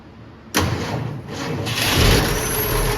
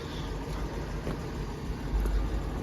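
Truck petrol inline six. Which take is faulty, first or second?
first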